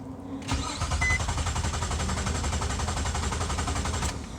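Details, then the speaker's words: Nissan Maxima with a cylinder 5 misfire code, cranked in clear-flood mode to rule out a mechanical fault: even cranking for about three and a half seconds with steady compression pulses and no knocks; normal; ignition coil suspected. "sounds good to me i don't hear anything out of the ordinary so i'm gonna go ahead pull it into the garage"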